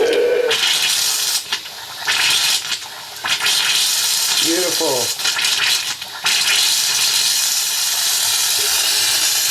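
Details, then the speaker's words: Water heater refilled after a breaker replacement: harsh hissing with spits and sputters cutting in and out as air clears from the upstairs faucet after the water is turned back on; no leaks, normal purge. "should be mainly air coming out upstairs should be mainly air coming out can hear it so that's a good [Music] sign"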